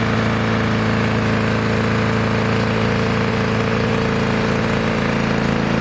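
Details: 1982 Lawn Boy Scamp model 4503 20-inch push mower, restored with new engine parts in break-in: steady even buzzing drone, constant pitch, no misses or surges; runs smoothly.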